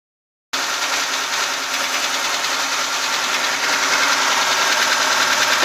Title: стук рокеров ваз 2106 после капиталки